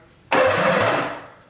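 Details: Nissan 300ZX with an LS engine swap, first start attempt: a short, free starter spin under a second with no firing and fuel disabled. The engine turns freely and is not locked up; a fuel pump issue is still unresolved.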